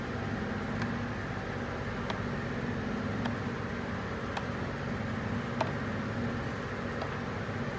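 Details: Toyota Tundra 3UR-FE V8 with a cylinder number 7 misfire, before engine rebuild: steady idle hum broken by a faint tick or stumble roughly once a second.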